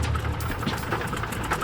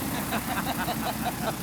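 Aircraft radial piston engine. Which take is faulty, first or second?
first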